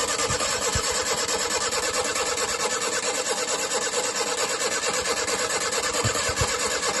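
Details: Rootes 1725 engine with twin Stromberg carbs and electric fuel pump, previously non-runner found trying to burn water, now restarted without choke on fresh battery: even, steady idle with smooth regular beat, no stumble or misfire; running cleanly.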